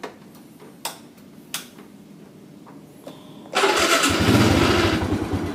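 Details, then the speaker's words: Motorcycle with weak dry battery, refilled with distilled water and recharged with homemade charger: a few short starter clicks, then engine catches at once and runs steady and even; normal electric start. "Oke. Dan sekarang motor bisa dinyalakan menggunakan electric starter ya. Jadi aki yang sudah soak itu sudah bisa untuk menyalakan electric starter."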